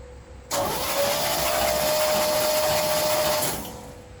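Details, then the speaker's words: 1976 Chevrolet C10 Scottsdale parked 40 years, cranked on a new battery before new plugs and carburetor priming. About three seconds of faint, smooth cranking with a steady whine and no firing, so quiet the starter seemed not to engage: no start. "The engine was so quiet that I thought the starter wasn't engaging the flywheel."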